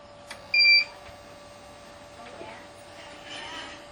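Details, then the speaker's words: Salvaged Tripp-Lite UPS switched on from 36V Milwaukee M18 tool batteries with the AC mains cable removed: one short, clear high-pitched beep warning it is unplugged from the outlet and running on battery. "You can hear the beep. What that means is it's saying that the UPS is unplugged from the outlet, which it is, because I already removed the AC connecting cable right here."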